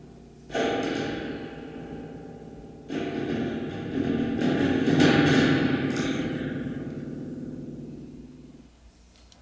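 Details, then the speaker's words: Peavey Blazer practice amp fitted with a new reverb tank, reverb turned up and the tank knocked: boomy crashes ring and splash for several seconds before fading, showing the reverb springs working properly. "right so we know the tanks working so let's go ahead and mount it and plug in a guitar and see what it sounds like"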